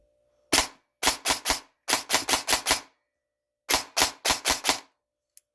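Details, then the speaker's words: A&K M16A3 airsoft rifle after a misaligned-gearbox fix (ZCI gearbox, ZCI high-speed motor, Gate Aster mosfet) on a 3-cell 1200mAh battery, test run before the barrel and stock go on. Even bursts of about eight shots a second; it cycles normally. "Before I put the barrel and the stock on, I want to give it just a test run. See how it's working. See if it is working."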